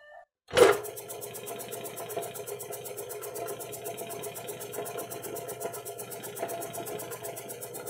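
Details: Vintage air compressor just rewired from 120V to 240V, first run: low motor hum and fast, even pump clatter holding steady; compressor running normally.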